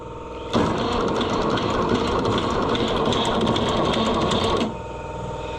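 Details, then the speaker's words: Neglected Oliver 1250-A tractor, jump pack wired directly to the starter: labored cranking for about four seconds at roughly three compressions per second, never catching. The owner suspects a sick starter and will swap it. "Uh, I'm going to swap that starter cuz that starter sounds sick. Sounds like something ain't playing nice."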